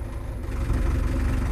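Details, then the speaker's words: Case 8840 windrower diesel: deep rumble sags and labours while trying to lift the header, engine idling down under load; bog attributed to low hydraulic fluid. "okay you see it's trying you guys can hear that hear the engine idling down it's trying to pick the head up"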